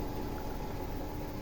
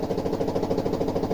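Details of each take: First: Samsung front-loader washing machine on spin with a wet towel as load, after fixing loose shock absorbers that caused knocking: drum moves but only a steady low hum, no knocks; repair done. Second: Samsung washer knocking hard during spin, about seven fast thuds a second. The cause is not the bearings but a loose shock absorber with a broken bushing.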